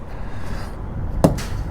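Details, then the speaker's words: Healthy truck tire thump on a GP Transco OTR truck during the morning pre-trip inspection: two firm, dull, low hammer thumps about half a second apart. The tire sounds properly inflated. "Again, checking tires. I'm listening for that wonderful, properly inflated sound."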